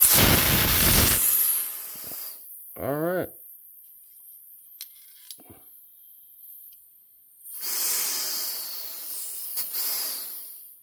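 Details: Crosman full-auto BB magazine function check during reassembly with a second CO2 cartridge: sharp gas hiss bursts out, fades, then hisses again; gas dumps freely through the port, so the check valve BB is not jammed.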